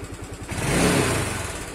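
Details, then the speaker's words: Old Yamaha Mio Sol scooter after carburetor repair that fixed slow, hanging revs; throttle blip climbs briefly then drops straight back to a steady idle; a separate ticking noise remains, source not yet found. "Jadi kita ngegas terus kita lepas gas, motor akan masih jalan laju. Nah sekarang tidak,"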